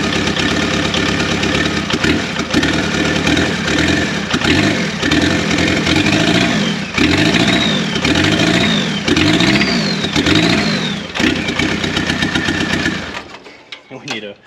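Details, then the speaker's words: Turbo diesel swapped into a 1981 VW Rabbit/Caddy pickup, just bled and started: clattering idle with uneven light metallic ping that eases as it runs; owner blames bad old diesel fuel needing to run through. "Look, you could hear that ping clear up. It's because of not having good diesel fuel and everything in there, and we need to run it and clear it through and everything,"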